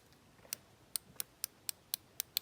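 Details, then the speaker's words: Fix-It Sticks torque limiter driver set to 15 inch-pounds, tightening on an AR rifle: crisp light ticks about four per second as the clutch slips once torque is reached; normal torque limiter clicking. "hear how it's clicking. So what it will do is it works like a clutch and it just kind of slips."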